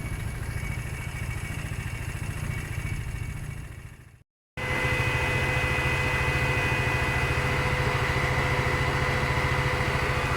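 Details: Aprilia Sportcity Cube 300 scooter idling on its stand, warming up to watch the temperature needle before its test ride and MOT: quick, regular single-cylinder putter, about three and a half beats a second. Running as it should.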